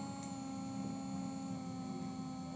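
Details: Nail electric drill handpiece running in reverse, giving a steady mid-pitched motor hum with no wobble, rattle or grinding; spinning smoothly, normal.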